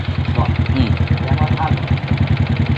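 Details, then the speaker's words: Honda Wave 125 single-cylinder motorcycle with hard starting, at idle: quick, even clacking on every beat, said not to be valve noise; owner suspects worn clutch rubber dampers (three rubbers) on an old bike, needing teardown and fresh engine oil. "ก็2,000บนติอันดังแก๊กๆๆๆนี่มันบ่เกี่ยวกับวาวแล้วเนี่หบ่เกี่ยว"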